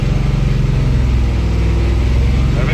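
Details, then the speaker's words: AMC Hornet new engine about 20 minutes into break-in, warm, held near 2000–2700 rpm, oil pressure holding 30 psi; deep even fast-idle drone with no ticking or tapping; valve train still quiet. "going pretty good it's still quiet as far as the valve train goes"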